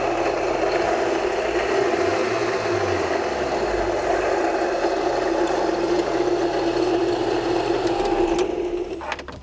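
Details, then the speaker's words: 2012 Honda Civic Si at idle with AC not working: harsh, steady nails-on-chalkboard screeching grind until shutdown; accessory belt drive noise from failed idler pulley, tensioner and AC compressor. "So, you guys heard the horrible noise. It sounds really bad, like nails on a chalkboard. It's terrible."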